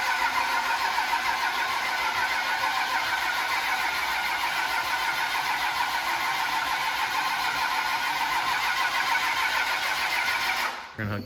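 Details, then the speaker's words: 1999 Dodge Ram with common-rail Cummins swap, first start, fuel system bone dry and injectors questionable: the starter turns the diesel steadily for about ten seconds with no catch; crank no-start, injectors seemingly not firing, possibly needing grounding. "doesn't seem like it's telling the injectors to fire doesn't seem like it but remember them it also is bone dry"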